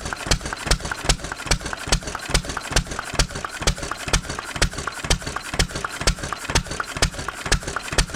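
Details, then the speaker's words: 1920s Taylor Model B hit-and-miss vacuum engine, long sat, running on old gas after the fuel check ball was freed: sharp even pops about twice a second over steady mechanical clatter; firing and running fine. "Well, I guess we should have filled the tank all the way up, huh? She uh she definitely is a runner, ain't she?"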